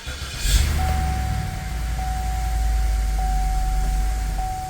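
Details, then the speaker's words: 2007 Cadillac that wouldn't shift, after reattaching dangling internal transmission clip/linkage, refitting pan and adding fluid; steady idle with faint chime, reverse, neutral, drive engage quietly without clunk; repaired, normal gear engagement. "reverse, neutral, Drive. Awesome. That was it."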